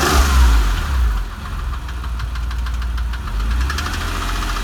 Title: 996 3.4 engine ticking sound video 2